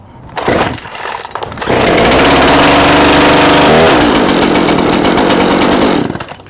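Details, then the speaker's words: Gas chainsaw started at half choke after a full-choke pull until it growled; it fires after a couple of pulls and settles into a fast, steady high warm-up idle, a normal start. "So, as you can see here, it started at half choke. And once it starts, it actually starts accelerating in order to warm up the engine."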